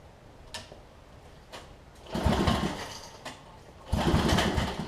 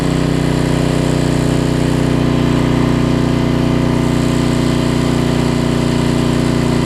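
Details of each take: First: Homelite LR4400 generator after carburetor and kill switch replacement, previously running: two rope pulls spin it with chuffing compression beats but it never fires; suspected it stopped pumping fuel, and now there is no spark; it later restarted by itself. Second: Homelite LR4400 generator after governor readjustment, having earlier raced and dropped rpm: a steady, even drone with a brief pitch shift midway, then a smooth, constant run; the governor is holding speed properly.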